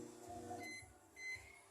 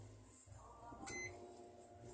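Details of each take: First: Brastemp Ative microwave heating a cup of water gives a harsh, steady buzzing hum like a running freezer; typically a magnetron shorted to its casing, though the transformer is also possible. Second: Brastemp Ative microwave after its magnetron was repaired, heating a cup: quiet, steady hum with one short beep and no loud freezer-like drone; now operating normally.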